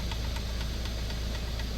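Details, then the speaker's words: 3D printer running with a low drone and faint light knocks about four times a second; recurring knock that returned after play was tightened earlier, printer has had layer shifts, source not confirmed. "and originally there was some play in here and they tightened it up but now I hear it again"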